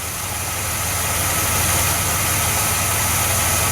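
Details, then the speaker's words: 1982 Chevrolet Impala, 305 V8, first start after sitting five years: steady idle with few lifter noises and a thin, constant high squeal throughout from a slipping alternator belt; alternator apparently working, no warning lights. "that belt squealing also tells me the alternator is probably working so the Impala is alive squealing alternator belt and all"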